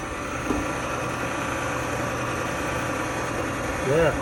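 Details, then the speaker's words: Frigidaire gas dryer after restoration; even quiet hum with steady drum rumble, no squeal, thump or scrape; spinning smoothly, normal running. "spinning good quiet dry yeah looks good"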